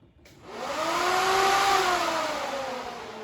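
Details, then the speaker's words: Factory Five Mk4 Cobra, first power-up of systems before first start. The ECU fast idle output drives the fan relay and is set to switch on past 70% throttle. A whirring tone climbs, holds, then eases. Normal radiator fan operation. "i have the fast idle output connected to the fan relay and i just set it so that if i go past 70 throttle it turns the fan on"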